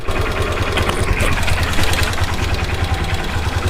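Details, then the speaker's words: Hero Xtreme Sports motorcycle, 51,129 km, engine never opened, idling in neutral: rapid, fairly uneven light metallic kit-kit ticking over the single-cylinder idle; slack timing chain rattle. "तो अभी हमारी bike idling में है और sound सुने, इसके अंदर से kit kit kit kit sound आ रही है।"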